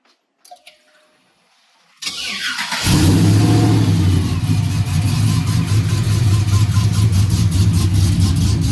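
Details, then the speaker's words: LSA-powered GMC Sierra V8 with a newly installed Magnaflow oval muffler: after a pause it fires and settles into a steady, even, deep rumble. It runs cleanly but is still loud through the exhaust. "as you can tell it's still loud that's the quietest thing out there"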